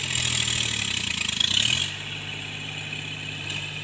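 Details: Tractor diesel during cultivation after the engine knock was fixed: even hum under loud hiss, no knock, then settles to a calmer note; running smooth under working load.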